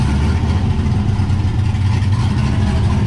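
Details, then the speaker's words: Cammed LS-swapped 1969 Camaro at first start: lumpy, choppy V8 idle with a deep uneven throb that won't settle, a hunting idle; running slightly rich, owner tuning toward 14.5–14.7 air-fuel ratio. "and you can hear that like hunting idle. That's one of the things I'm trying to fix."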